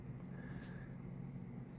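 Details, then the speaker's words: 150VA toroidal transformer with a few extra thick-wire turns shorted on its secondary: deep steady mains hum with a buzzy edge, felt as well as heard; the cable gets hot, 0.2 A mains draw. "I can hear it or it's buzzing but uh oh my gosh I can actually feel it not just hear it."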